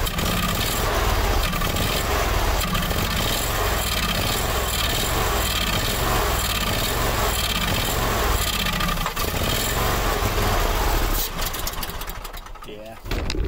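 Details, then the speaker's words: Howard Price Maverick 620 (Cub Cadet) utility vehicle in neutral, parking brake on, fed by an electric fuel pump: rough, uneven chuffing that never settles, then dies; hard starting and stalling, owner blames a gummed-up carburetor and plans to remove it. "that carburetor definitely gummed up all right pull that carburetor off because it's got to be it's got to be in the carburetor"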